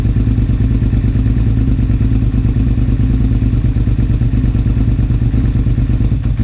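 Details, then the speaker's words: 2001 Suzuki SV650S V-twin, first start after valve shim adjustment and carb work, on choke: uneven chuffing beat about three pulses a second with irregular spits and burps; vacuum leak from a carb port plug that fell off. "I may also have a vacuum leak somewhere. I may have a leak from that. I 100% have a leak. My plug fell off."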